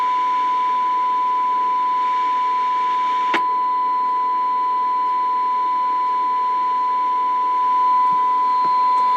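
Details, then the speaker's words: Bearcat BC-210 radio scanner rescued from a dumpster, fed a 50 microvolt test signal: a clean, steady mid-pitched test tone at even level without dropouts or crackle; receiving normally, sensitivity seemed slightly low before alignment. "Test. 1 2 3. Test. 1 2 3. Hello. Hell. Hello. One, two, three. Test. Okay, I think uh I think it's working."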